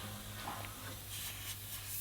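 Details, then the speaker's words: 1987 Mercedes-Benz Unimog 1300L ex-military ambulance camper: steady airy hiss over low hum from a leaking air hose, apparently dry rotted with a hole; needs replacing, duct tape planned for now; air leak hiss. "I got a air leak one of my hoses it's definitely leaking pretty bad it's going to need to be replaced"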